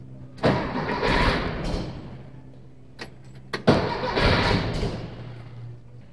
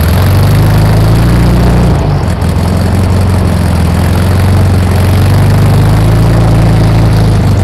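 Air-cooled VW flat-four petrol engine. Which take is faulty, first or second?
first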